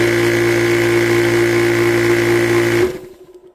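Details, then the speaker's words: Old worn PCP air compressor, about 4 years of hard use, run briefly with lines ripped off: steady motor drone with a quick, even pumping beat, then it winds down and stops; it no longer builds pressure because the cylinder has given out. "because I'm not going to run it long enough to overheat it uh and even if I did it doesn't matter because it doesn't build pressure anymore because the cylinder is obviously given out on it"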